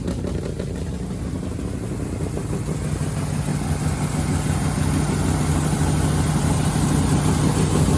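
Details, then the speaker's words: 1965 Ford Fairlane running for the first time after a new gas tank, long unused: catches and runs with a lumpy, uneven beat, about three pulses a second, smoothing slightly. Rough running, expected to work the cobwebs out. "she's alive that's it we finally heard her run and she sounds nasty she definitely gotta work some cobwebs out but that's to be expected"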